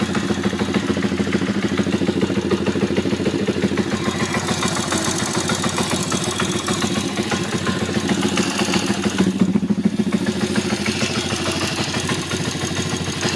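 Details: YX140 engine at very low idle: uneven idle with steady knock about three per second on the right/clutch side; no extra noise at higher revs; cause not yet found.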